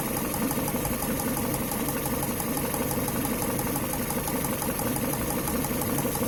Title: Непонятный стук двигателя